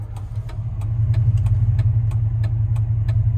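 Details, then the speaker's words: 1999 Dodge Ram 1500, 5.2 (318) V8, 5-speed, driving and idling after an O2 sensor slow-response code; it had misfired badly until warm. Now a steady, even low rumble with no surging, over a light clicking, seemingly fixed. "God, this thing sounds good. Let's see, what does the idle do? Does it bounce around?"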